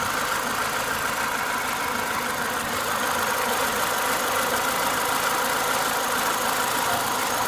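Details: Renault Clio 182 petrol engine warmed up to temperature at idle: a faint, loosely regular knock of about three beats a second that the owner is worried about.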